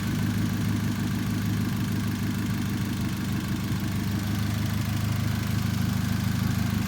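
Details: 2013 Chevrolet Spark small petrol engine after spark plug change fixed the misfire error: idles with a steady, even low hum and regular firing pulses, no stumbles or skips; high tension wires still planned.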